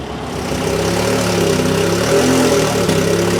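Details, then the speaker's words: VKM Racing Team drag race car at Alastaro, Finland, 2016 Test & Tune, first start: sharp, steady high-strung idle with even firing, no knocks or rattles; no problems apparent, sounds healthy. "Mingit jamad ei tundu olevat või? Hääl on küll siuke kile, vaata seda."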